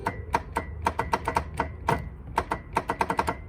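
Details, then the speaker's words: 1993 Honda Harmony 1011 riding mower, abandoned: sharp dry clicks at an uneven pace, about five a second, with no cranking; the starter clicks but won't turn the engine. "So you can hear the starter doing a tink."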